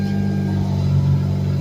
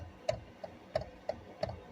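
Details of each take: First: Hyundai Elantra with engine running, after replacing the flexible steering coupler (Dorman) that caused steering-wheel clicking: only a steady low engine hum, no clicks or knocks from the column. Steering smooth and tight. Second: 2007-2015 Hyundai Elantra/Sonata, key on, engine off, steering wheel turned: sharp dry clicks about twice a second from a worn flexible steering shaft coupler, not the U-joints.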